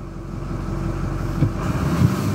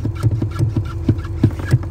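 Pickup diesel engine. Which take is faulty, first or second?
second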